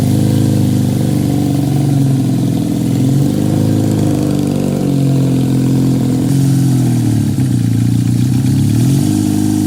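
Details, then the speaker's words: 1968 Honda CL175 with a 300cc supercharger, first start in 30 years, hot garage (about 92°F), kick-started: small revs with a fast uneven pulse that stays high; high idle, owner suspects vacuum leak or carburettor jetting way off. "Well, definitely wants to idle high. There could be, or there are several reasons for that, but I'll just have to figure that out another day."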